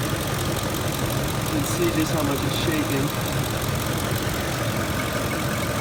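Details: 2006 Ford F150, idling about 625 rpm after 45 minutes' driving in about 109-degree heat: low, uneven, lumpy idle with shaking rumble; rough running, cause not pinned down.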